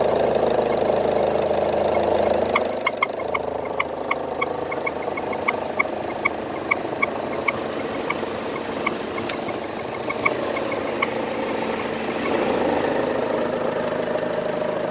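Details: Idling engine whose owner suspects one noise is turbo-related and another AC-related. There is spark blowout under hard acceleration and no codes. A sharp, regular tick about three times a second, origin unclear; needs further checking.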